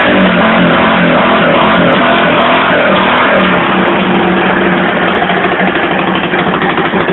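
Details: 1982 Yamaha SR 250 Special Edition single-cylinder motorcycle, probably from when the carburetion was being adjusted: loud, raspy, buzzing lawnmower-like beat with an open spitting edge; the exhaust line is full of holes and leaking.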